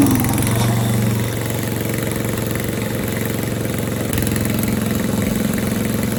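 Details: Tecumseh Snow King snowblower in snow, warmed up then given throttle to shake off snow: small single cylinder thumps steadily, dips briefly under load then recovers smoothly; healthy warm running.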